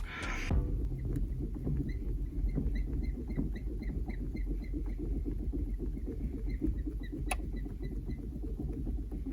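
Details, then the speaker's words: Rapid high squeaky chirps, about three a second, as the gear lever is worked on a Renault Clio 4 five-speed manual: shift cables run dry, old grease contaminated by road dirt and salt; lubricating the cables removes the squeak. "роби власники буває звертаються що втако от робиш ричагом чи сюди і такий писк"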